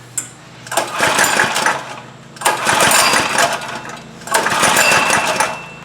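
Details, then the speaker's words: Trailmaster go-kart, Chinese Honda-clone engine sat over a year, probably old fuel, new spark plug, choke on, recoil-pull starting; three cranking bursts about two seconds apart, never fires, key switch left off acting as kill switch. "Ah, I forgot one important thing. I should turn the key to on cuz that's going to be a kill switch. Yeah, it's not going to run like that."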